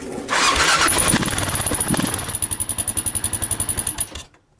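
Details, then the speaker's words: Stock Kawasaki KLR 650 single exhaust after first holes punched in the muffler: starts and settles to about four beats a second with a thin high chirp on each pulse; muffler chirp persists. "All right, time to make more holes, because there wasn't any smoke, and the chirp is still there."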